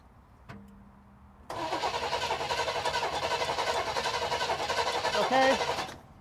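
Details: Chevrolet Chevelle barn find, points ignition, sitting 24 years: steady starter cranking, about 220 compression pulses a minute for four seconds, engine never catches; cranks but won't fire.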